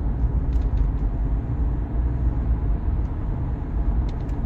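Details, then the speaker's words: Car at speed: deep throbbing drone under road noise, louder turning right than left, so owner believes the front left wheel bearing is worn; tires checked and fine. "more so when I turn to the right than when I turn to the left which makes me believe leads me to believe that it's the front left bearing that's that's going"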